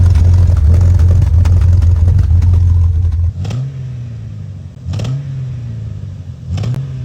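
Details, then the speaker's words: Jeep Cherokee XJ, about 350k miles, started after sitting about a month: rough low idle sagging and surging about every 1.5 seconds with hollow stumbles; misfire, ignition coil code, plugs found gapped far too wide. "I went to go fire this up and and it had a nasty misfire I mean awful"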